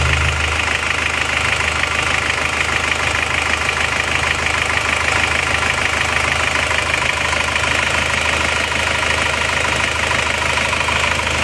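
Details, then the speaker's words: Isuzu Panther Turbo diesel after piston ring replacement only, liner not replaced, for high oil consumption, warm idle at working temperature: no blow-by smoke at all. Even regular diesel clatter, no blow-by puffing; normal idle. "Alhamdulillah ini tidak ngobok sama sekali berarti kita hanya ganti ring seher saja tanpa mengganti liner atau membayar hasilnya sudah sangat memuaskan"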